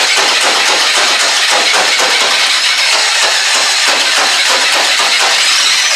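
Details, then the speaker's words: VW Baja Bug air-cooled engine with newly installed starter motor, starter fluid sprayed into air cleaner: fast, even churning whirr with no grinding or clicking; new starter works well. "yeah the starter works awesome I love it"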